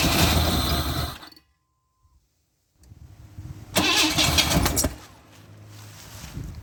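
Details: 1991 Camaro 3.1 L cranked during a fuel pressure test (about 40 psi expected) after a new ignition module and rotor: starter churns steadily, three to four turns a second, never fires; distributor to be pulled.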